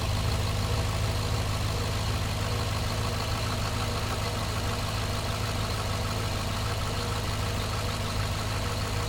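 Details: Cadillac misfiring at idle after heavy rain, codes for cylinders 1 and 7 plus random misfire; rough, stumbling lope about twice a second; owner plans to change coils, MAP sensors new.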